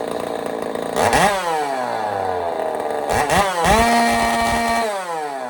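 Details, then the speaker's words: Echo 590 chainsaw on first start with a custom cylinder head, mixture screws turned out rich and not yet tuned: a sharp two-stroke scream climbing fast to a clean, steady high free rev, then falling back. Small leak at the head seam near the plug; sounds strong. "So tiny little leak there, but she sounds amazing."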